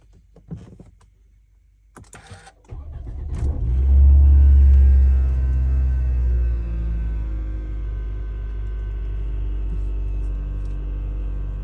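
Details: Toyota Camry petrol engine, cold start: cranks and catches, flaring up loudly before settling into a heavy, noisy idle; the noise occurs when the engine is cold.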